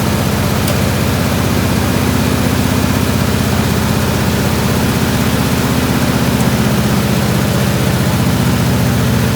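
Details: 1967 IH Loadstar 1600 truck after fixing vacuum leak at burnt carburetor gasket (previously struggled to hold idle from too much air): steady low rumble with even firing pulses, no stumble or hunting; idles smoothly.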